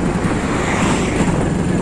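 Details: Hero Splendor Plus motorcycle engine at full throttle: loud drone with uneven low-end pulses, surging, stumbling and jerks; runs fine on light throttle but won't exceed about 30 km/h, misfiring under load.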